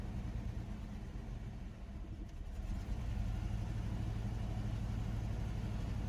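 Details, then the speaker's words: Chevrolet S10 pickup unrun since 2019, after fuel tank swap and mouse-nest valve cover cleanup: low, uneven idle rumble swelling after a few seconds, unsteady pulses; rough idle, owner suspects debris plugging injector, planning Seafoam. "still don't want to idle must still be some stuff plugged in that injector we're going to put some seaf foam down it hopefully that'll help it out"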